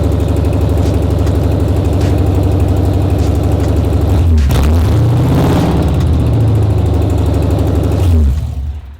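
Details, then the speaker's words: Car started with the exhaust Y-pipe removed, so no exhaust fitted: harsh, loud idle with a quick rev, then shutdown. The squeak first blamed on the rollers is gone, so metal-on-metal rubbing somewhere in the exhaust is the cause. Loud exhaust note with exhaust section removed. "I kind of want to do a startup and see how she sounds without any exhaust."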